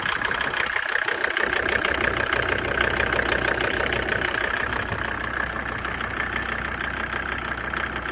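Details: Mercedes OM605 diesel idling about 17–20°C, knock starts ~3 minutes after glow plugs switch off, worse around 10°C: sharp metallic clatter about three times a second; oil cap not lifting; cause unknown, unresolved.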